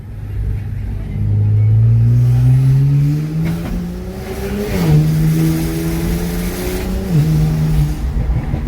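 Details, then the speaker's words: BMW 335i N54 twin-turbo after boost leak fixed and oil change, hard acceleration: note climbs cleanly through the gears with no hesitation or flat spots, breaking traction in third and fourth; pulls strongly and evenly. "But this car feels tremendously well. Yes, guys. This car working for on your target."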